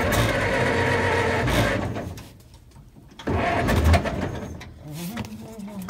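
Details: Vintage Ford parade car, sat outside under trees then cleaned up: cranking and sputtering, a short lull, then the little engine catches into a rising, uneven putter; starts normally.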